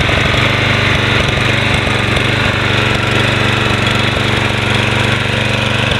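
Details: Toro Personal Pace Model 20333 mower with Spin Stop blade engagement, 7.0 190cc gross torque Briggs & Stratton engine, started after cleanup; blade engaged, steady even drone with blade whirring, regular firing, no misses or knocks; running normally.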